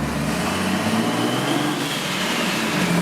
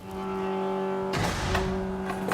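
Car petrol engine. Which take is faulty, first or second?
second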